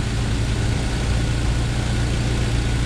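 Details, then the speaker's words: 1997 Jeep Wrangler TJ 2.5L after timing chain repair, driven up to temperature: deep steady idle with even low rumble, no front rattle or slap; the front-of-engine noise that was loudest when warm has gone. "man all that sound i was hearing it just went"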